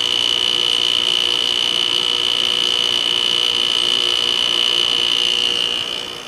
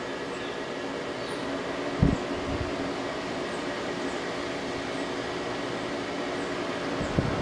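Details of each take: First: 2001 General Electric Quiet Aire air conditioner, LG Hero compressor just switched on to cool after sitting unused over a week during fan bearing replacement: steady high whine over even hiss, fades at shutdown; owner suspects it will quiet down once running, cause unconfirmed. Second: 2001 General Electric Quiet Aire air conditioner with LG Hero compressor, warmed up after about five minutes, cycling low, medium, high: low steady hum with faint constant tone, no rattle or squeal; quiet even on high.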